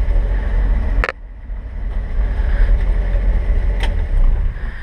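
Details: 1958 Chevrolet 3200 Apache, original 235 inline six with solid lifters and 3-speed column manual, idle brought back down: low, deep exhaust thump at slow easy idle with some handling knocks; solid lifter noise and an exhaust leak noted; normal idle.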